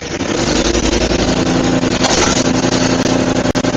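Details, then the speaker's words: Murray 5HP 24-inch snowblower (Tecumseh) after head gasket and carb repair, auger engaged for the first time: engine runs fast and even, brief clatters from a couple of rocks in the auger; solid runner. "Wow. I never checked if there's anything in there, and I guess there was a couple rocks, but anyways, solid runner."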